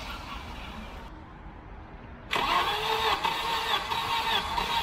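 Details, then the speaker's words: 1989 Volvo 740 wagon, B230 redblock, non-runner with a head gasket done in 2019: starter spins the engine fast and light, about two and a half beats a second, no firing; low compression suspected. "sounds like it hasn't got enough compression"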